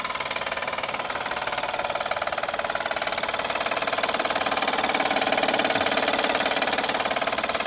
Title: 2011 Honda Accord 3.5l loud knocking noise easy fix by replacing Timing bel tensioner